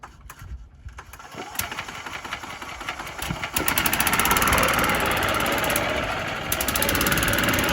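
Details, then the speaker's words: Yamaha golf cart revived after sitting 6–7 years, driven home: small single-cylinder engine thumps at a steady beat under wind and road rush, pulling evenly without stumbling. Normal running under load. "I think it's going to make it. Follow me home."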